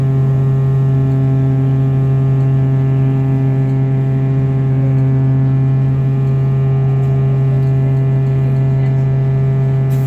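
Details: TTC Orion VII NG diesel-electric hybrid bus, heard in cabin: loud, steady low buzz of fixed pitch drones continuously over road noise; abnormal electrical-type buzz, cause unknown.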